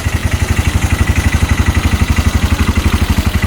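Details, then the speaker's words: 2022 Massimo T-Boss 750 EFI UTV idling: a steady, even thumping with no knocks or stumbles, a normal idle. The knocking appears only when the vehicle moves. "still idling perfect sounds really good at [Music] idle"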